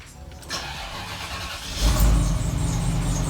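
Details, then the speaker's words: Cadillac Allante that had a dead battery days earlier, started in cold weather: starter drags slowly over a second before the engine fires and catches; tired battery brought from Florida struggling in the cold. "You can tell that battery's getting tired. All those batteries I brought from Florida have been having issues in the cold."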